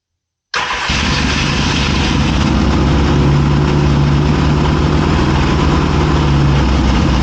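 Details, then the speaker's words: 1981 Yamaha XS650 Special first startup after carb rebuild, choke partly on, fuel bottle feed: lumpy idle with irregular exhaust popping from the right cylinder; cause unknown. "Backfiring a little bit. The engine sounds like it's running pretty well. Now I am getting some backfiring on the right cylinder. I'm not exactly sure what that is."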